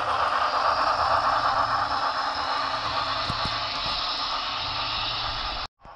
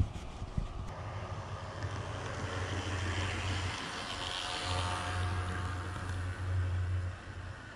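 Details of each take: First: Shop-serviced DCC model locomotive, address changed to 208, on the upgraded Grand Valley track: light, even mechanical whir with soft rail clicking and steady speed; runs flawlessly, normal. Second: Walthers model locomotive returned from shop for unusual noise, running on a Woodland Scenics layout: coarse raspy buzz like a small two-stroke trimmer runs steadily under it; drive motor still abnormally noisy, cause undetermined.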